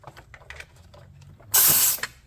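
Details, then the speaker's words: High-mileage BMW E36 M3 S52 engine, leakdown test on cylinders 4 and 5: quiet fiddling, then a half-second burst of strong rushing air as the cylinder is pressurized, leaking badly; suspected warped head, head gasket needed. "I'm gonna call that a warped head probably."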